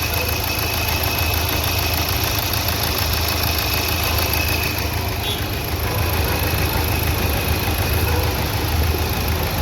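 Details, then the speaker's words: Nissan Terrano diesel, code P0203, after injector service and replacement of one faulty coil. Previously knocked and misfired. Now a steady idle with only light normal clatter and no heavy knock; injectors firing evenly. "य तो engine तो अपना एकदम से silent है यहां पे आप देख सकते हो पहले काफी टक टक टक करके आवाज करता था"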